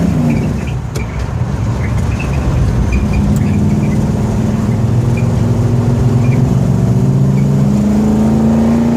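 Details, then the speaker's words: Ford F100 with Edelbrock 1405 carburetor, cold and on choke: light-throttle rev with uneven wavering note, cleaner as revs climb; fine at idle; off-idle stumble persisting after choke off, cause unconfirmed. "it doesn't affect it at an idle it doesn't affect it when you're in the gas a little bit it's just that off idle a little bit of throttle opening and then it's not good"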